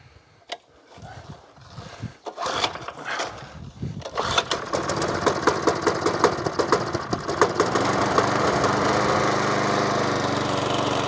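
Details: Stihl FS40 strimmer found at the dump, fuel tank bone dry, refuelled and primed: sputters and catches a few times, then settles into a fast, steady single-cylinder beat; running normally, no trimmer head fitted.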